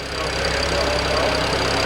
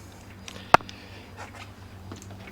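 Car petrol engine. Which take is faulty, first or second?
second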